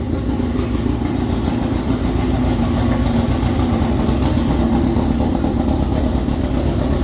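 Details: Formula 4 race car after fuel-leak fix, very loud: even engine roar holding steady with no misses, pops or knocks; normal running.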